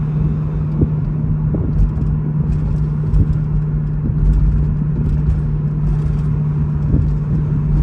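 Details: 2012 BMW E93 M3 convertible rolling slowly over bumps: brief metallic rattles/taps from underneath over steady road rumble, most audible at low speed in any temperature, lessens when braking over bumps; metallic rattle over bumps.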